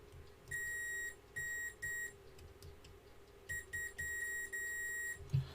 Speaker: so that means center pin is negative let's just check that theory on continuity l3